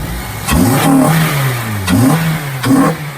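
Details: Honda EP3, freshly serviced, with K&N induction kit before turbo build: clean throttle blips rising and falling smoothly three times, crisp induction note, no knocks or misses; healthy engine revving.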